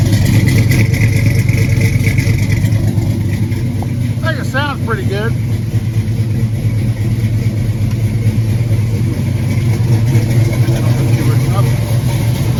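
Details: 1986 Chevy Caprice big-block V8 idling after valve cover gasket replacement: deep, steady rumble, even beat with no tapping or misses; sounds healthy.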